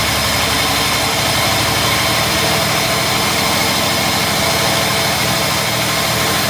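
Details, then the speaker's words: Jaguar MKII during reassembly, first start; uneven, stumbling idle with a lumpy, missing beat under a steady hiss; sounds like a misfire, cause not confirmed. "I've only got two arms that sounds like it's misfiring"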